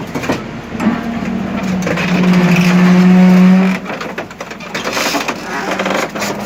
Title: Лефорт после ремонта. В работе.